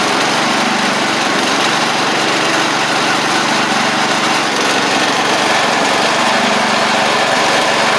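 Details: Restored 1985 Wheel Horse 312-8 garden tractor, after a multi-month revival: steady, even small-engine putter at constant speed with no hunting or misses on a cheap aftermarket carburetor, which ended up working well; normal idle.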